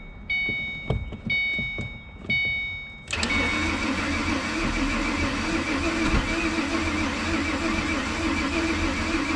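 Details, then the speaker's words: 2007 Ford Mustang V6, accident-totaled, fuel pump heard working, owner suspects lots of air in fuel rail lines: a few short starter bursts, then a long steady crank that never catches; cranks but won't fire, cause unconfirmed. "man is wanting to fire all right I'm going to give that starter a minute to cool down we have got we're close I can feel it we're definitely close"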